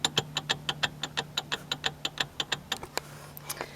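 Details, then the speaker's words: Toyota Corolla Wagon with highway-speed vibration, axle nut off, axle shaft worked up and down by hand in quiet bay: sharp even clicks about three a second; worn CV joint. "That is no bueno. No bueno. So I guess I gave it away when I already had the axle nut off. Yes, we have a seating axle issue."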